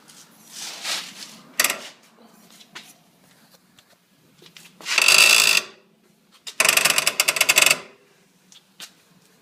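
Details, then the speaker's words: Polaris RZR after installing new SATV radius arms: loud drawn-out squeaky creaks with rapid clicking as the parked suspension is rocked; owner suspects radius arms or piggyback shocks, not confirmed. "the only thing new i installed were these s atv radius arms i think i installed them properly i don't think i over torqued anything but i get this wicked creak now that i just"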